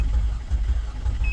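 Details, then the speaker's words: GMC Acadia / Chevrolet Traverse that would not crank: after jumpering communication lines to the engine computer it cranks but sounds horrible, lumpy and rough with a chime near the end, and no start; MAF also disconnected; owner suspects the engine is bad. "no no no este motor según yo no sirve se escucha horrible"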